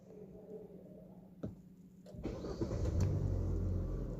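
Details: 2025 Hyundai i20 N Line with late-starting complaint, after scan tool cleared codes and no trouble codes shown: brief crank, clean catch and steady even idle; normal start.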